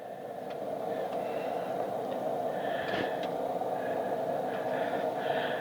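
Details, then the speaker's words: Tektronix RM564 vacuum-tube storage oscilloscope powered up: constant mid-pitched whir with faint irregular ticks over the hum. The cooling fan is a little noisy and runs on for a very long time after shutoff. "okay the fan is a little noisy but I'll tell you when you shut this thing off that fan goes on and on and on and on for a very long time"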